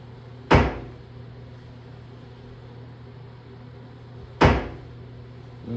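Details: Shower door gives two sharp single pops about four seconds apart as it is opened just wide enough to walk through, quiet otherwise; shower door popping, cause not clear.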